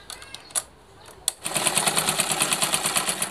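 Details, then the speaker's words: Old sewing machine after fitting the needle-bar crank: fast even clatter about three beats a second, dry and harsh; rough running, possibly because it has not been oiled yet; later runs smoothly. "suaranya kasar Mungkin karena belum dikasih minyak teman-teman"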